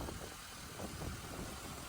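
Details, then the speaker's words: Hurricane Ian saltwater-flooded Buick Rendezvous after rebuild and cleaning, with no tune-up, plugs or wires done. A quiet, even, smooth idle with no knocks, misses or ticks. Normal idle. "everything works great and you can hear just how nice it runs you really can't hear it running that's how smooth it runs look at how nice she runs"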